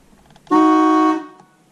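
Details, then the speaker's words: GM Cadillac Eldorado horn after repairing the broken horn circuit in the steering wheel (horn contact spring, retainer, insulator); single strong, clear half-second blast, train-like, no rasp or dropout: horn works properly. "it sounds like a train but yeah so that is the horn"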